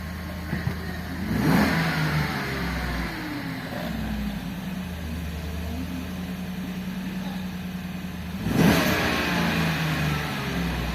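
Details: Engine that had a crank-no-start from a stuck fuel pump motor, now running; steady idle with two clean throttle blips rising and settling smoothly, no stumble or misfire: normal revving.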